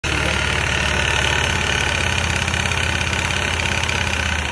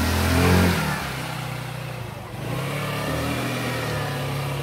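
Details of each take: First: Küba Brilliant 125 scooter at steady idle: a loose, uneven rattle over the low engine thrum comes from the worn front variator; the noise was gone after the variator was repaired. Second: Kuba Brilliant 125 scooter after replacing spark plug, front variator, clutch pads and belt and fixing a loose plate (variator rattle gone): engine revs up cleanly and pulls away smoothly with zero vibration at take-off; normal acceleration.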